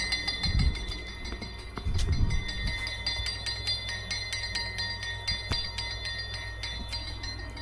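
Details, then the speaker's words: 1959 Plymouth Fury wheel turning: light metallic clinks as the back of the hubcap spinner catches the tip of the dry-rotted valve stem; shorter valve stems are on order as the fix. Finding: hubcap spinner clicking on valve stem. "Don't worry about that noise. It uh the backside of the spinner catches just the the very end of the valve stem, but I got some shorties coming for it."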